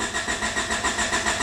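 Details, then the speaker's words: Honda Accord petrol engine with a fast-idle problem: the starter cranks in a steady pulsing rhythm but the engine never catches. "going to fire it up and it doesn't start"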